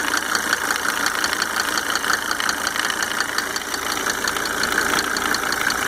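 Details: Mercedes 300D W124 2.5 L diesel idling after installing five newly rebuilt injectors with Monark nozzles: sharp, fairly regular light ticking nearly three a second over steady idle; source unclear.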